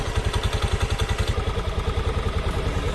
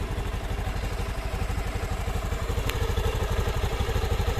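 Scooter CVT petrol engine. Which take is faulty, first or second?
first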